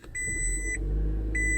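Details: 2005 Toyota Prius, 50,002 miles, started after sitting about 40 minutes: two sharp high beeps a second apart over a low hum, cooling fan running immediately, warning lights on; hybrid battery replacement suspected.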